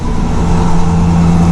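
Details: 2000 Ford Ranger after fuel pump replacement (bed removed; pressure had dropped to 5): steady, even engine note with no misses or stumbles; truck running cleanly.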